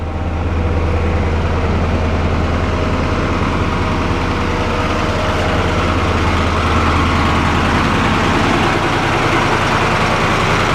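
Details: 4-150 tractor engine running after revival work, owner planning arm bushings for a shaking issue and suspecting the aftermarket key switch; deep, steady low rumble at an even pace, no misses or knocks, normal running.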